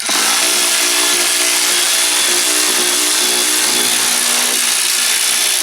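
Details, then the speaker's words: Cordless impact wrench at 21 degrees while removing Honda CR-X rear trailing arm bolts, batteries charged but guns very cold: high, strained motor whir that never bites hard; weak output, owner blames the cold. "you can kind of just hear how weak the gun is, and all these batteries are charged. Yeah, it's only 21 degrees."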